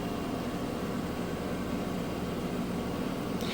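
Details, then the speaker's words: Kenmore front-load washer in its high-speed spin for maximum water extraction: an even, steady hum with no thumping or banging; the load is balanced and spinning smoothly. "but yep nice balanced smooth sounds"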